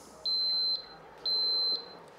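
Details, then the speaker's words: Boat kill switch warning: with boat power on and the wireless wrist tag not connected, high steady half-second beeps repeat every second while the switch flashes, before the tag connects. "if your tag's not already connected you'll hear it beeping and you'll see it flashing on the switch here"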